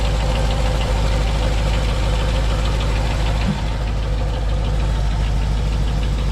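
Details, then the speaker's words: 1988 Chevrolet Monte Carlo V8 at idle: deep steady rumble with light quick tick about four a second; owner first suspected a lifter issue but attributes it to exhaust cutouts. "and that little clicking noise is a [ __ ] cutout it has [ __ ] cutouts you can hear that little ticking ticket went away that's what i thought it had a [ __ ] lifter issue"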